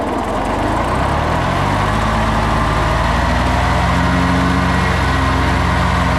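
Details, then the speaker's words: 40-year-old Kubota F2000 front-mount mower, three-cylinder diesel, after restoration (fluids, filters, blades replaced), mowing test: even, steady clatter with low solid beat, no misses or knocks. Normal diesel running. "The retro vibe, combined with the awesome clattery 3-cylinder diesel sound, puts a smile on my face every single time I fire it up to mow."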